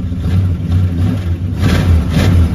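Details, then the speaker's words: 1968 Dodge Charger garage find, sitting since 1994: deep even engine note with a brief light throttle blip that rises and settles cleanly; running normally though smoking. "all right she's a smoker but you know you wanna give me a little vroom just a little one don't floor it or anything you know"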